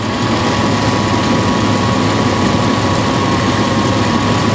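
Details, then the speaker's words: 1996 Dodge Dakota 3.9L V6 idling warm, about 110° air across the radiator to the clutch's thermal valve: a loud constant whooshing roar that never eases; aftermarket fan clutch stays locked when it should be slipping. "right now as you see 110 degrees the sucker should be slipping"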